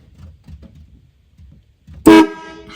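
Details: 1964 Ford Galaxie in shop while adjusting neutral safety switch and shift linkage: quiet, then a sudden loud steady horn blast about a fifth of a second; horn circuit is live and horn works.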